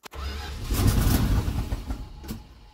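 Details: 1978 Dodge Adventurer, long-sitting with pack-rat damage and the carb loose or disturbed, on primed fuel: a starter click, then uneven cranking that catches into a few ragged firing bursts before dying away. Spark is present but fuel delivery is lacking.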